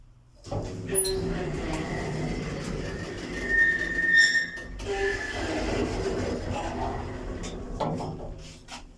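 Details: Inside the DMG-fitted modernised lift at Metrocentre coach park, car travelling down: rumbling ride with a piercing, steady high squeal rising to alarm-like loudness, far worse than its earlier slight squeak; condition has declined, likely left unrepaired pending replacement.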